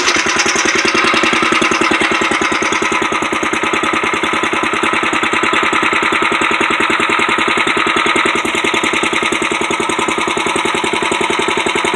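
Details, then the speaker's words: 1962 Wheel Horse 552 tractor single-cylinder engine, not warmed up; rapid even firing with a tinny buzzing rattle, owner suspects something loose vibrating: unidentified vibration noise. "That noise that's in there, I don't know what it is. It's probably something vibrating."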